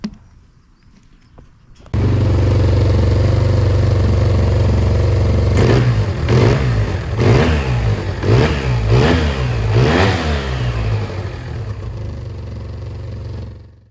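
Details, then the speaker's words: Yamaha Tmax 530 scooter at 50,000: loose, flaring revs on quick throttle blips with poor pickup from a start; fine cold but bad after a long straight, with a burning smell. Owner suspects the clutch; CVT slip on acceleration suspected. "Et ouais, au départ, en remettant un coup de gaz, bah, il accroche mal et tout."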